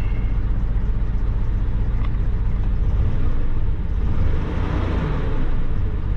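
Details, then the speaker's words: GM vehicle with 4L60E transmission, at Copart: low lumpy idle rumble with irregular shakes, check engine light on; clear misfire at idle. "Oh she's got a very clear misfire you guys can't feel the shake because I'm sure the GoPro has hyper smooth but she's shaking check engine light yeah"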